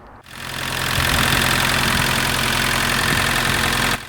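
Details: MK2 VW Golf GTD diesel, stood six years, after new battery, ignition barrel, glow plug fuse and fuel system bleed: starts and settles into a steady, even idle clatter, no misfire or hunting.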